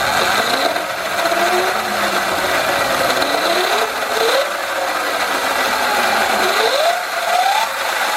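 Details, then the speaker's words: Sur-Ron electric bike with Luna Cycle 219 chain kit: motor whine sweeping up and down with rough, gritty grinding and rattle from the chain drive; the front sprocket is worn saw-blade sharp despite re-shimming; worse under load. "see he goes you hear like a kind of grinding sound yeah it doesn't sound good"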